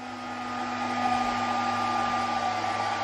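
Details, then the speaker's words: Fujitsu Primergy TX140 S1 server (i3-3220) powered up for a test: loud, steady high-pitched whoosh like a hair dryer from the power supply fan running flat out; cause unclear. "you can hear that's the power supply fence sounds like a friggin hair dryer so I definitely won't be using that"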